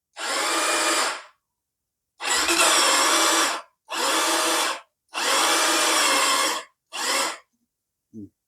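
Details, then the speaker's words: Ryuka motorcycle, possibly 200cc, with the battery light showing: several one-second bursts of high free-spinning whir with no cranking or firing. The starter gear seems to slip without engaging; the battery will be charged first, and if it still slips the starter will be opened up. Suspected, unconfirmed. "ไฟแบตเตอรี่โชว์อ่าทำอะไรก่อนคือฟังเสียงแล้วมันเหมือนกับเจ้าลูกปืนสตาร์ทนะครับลูกปืนวอ่ะเฟืองสตาร์ทมันไม่เกาะครับเหมือนมันรูดนะครับ"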